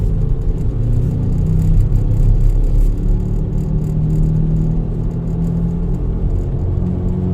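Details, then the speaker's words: Road test of a car after a battery replacement, with the alternator charging fine: loud steady low drone in the cabin, apparently from the rear; bad wheel bearing, to be checked on a lift. "You hear that? That's a wheel bearing. That's a wheel bearing. That's a bad wheel bearing."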